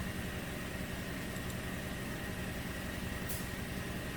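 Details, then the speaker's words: 2007 Toyota 2.7 truck engine idling quietly and evenly after reinstall and resealed cover, no kicking or whining after aftermarket-part problems; no current codes; normal idle. "well there it is back together and running nice and quiet damn aftermarket parts no kicking no whining"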